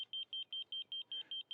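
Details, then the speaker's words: Laser level receiver on a reverse-scale grade rod while marking a wetland perimeter: steady high-pitched beeps, about five a second, the slow below-grade tone before the rod is raised to the on-grade flatline tone. "I stand directly behind the grade rod and I hold the rod vertical and I listen for the tone is beeping slow because I'm"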